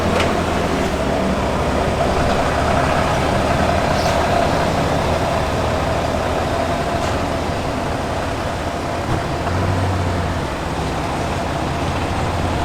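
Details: Brand-new Cummins replacement engine in a RAM HD (previous one threw a rod through the block), startup after reassembly at about 60 miles, deep even diesel idle, steady low rumble, no knocks or misses; healthy.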